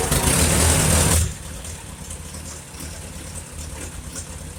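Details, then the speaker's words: Farmall Super A after engine rebuild, first start before test ride: catches and revs hard, then a lumpy, uneven, slow loping idle with smoky smell; carburetor mixture far too rich, jets to be adjusted, engine otherwise sounds good. "the carb settings way off on this thing uh smelling kind of smoky in here like it's really rich so gonna adjust the jets on here in a minute motor sounds good"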